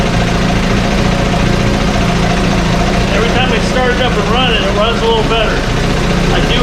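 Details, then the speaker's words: 1968 Evinrude Fastwin outboard in test tank, untouched, Sea Foam mixed in fuel: idles smoothly after cold start with steady even two-stroke burble, no cold-start cough or misfire; normal idle. "it just keeps cleaning things out this one doesn't even have a cold start cough to it or anything"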